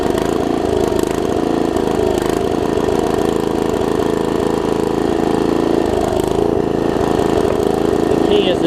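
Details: Troy-Bilt Tomahawk (Gardenway) chipper after its varnished carb jet was cleaned: the small single-cylinder engine runs steadily under load with an even, unbroken drone and no misses or knocks; it sounds healthy.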